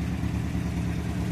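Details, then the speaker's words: Classic Ford V4, started a little cold with air filters off, at normal idle: low, smooth, even burble with a slightly unusual note from its balance shaft; healthy, steady running. "running unusual note cuz it's balance Sha but you've seen that before so that's that one out"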